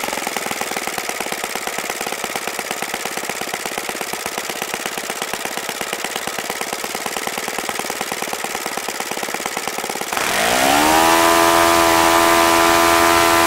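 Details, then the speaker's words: OS FS-95V four-stroke model engine on its first run after a rebuild with replaced bearings, on 15% Morgan's Omega fuel with a 14x6 prop and OS F plug, electric-started: the starter ticks, then the engine fires and spins up to a clean, high, even tone. Normal running; the throttle arm is too free to set a low idle. "okay so that was pretty impressive aside from the little issue I had with the throttle arm being really free and my throttle setup not allowing me to you know keep it down lower so I can get my tax set up seems to be a really fine running engine"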